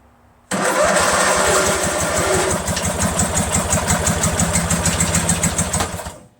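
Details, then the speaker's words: Craftsman LT1000 lawn tractor, freshly rebuilt Briggs 46 opposed-twin engine, heat shield on muffler, weak battery: catches and chugs slowly and unevenly, sputters, pops and dies after about five seconds, with lots of fuel coming out. Spark is confirmed; owner suspects a dirty carburetor. "We know it starts and it runs slowly for a bit, and then you hear a pop and then it just stops."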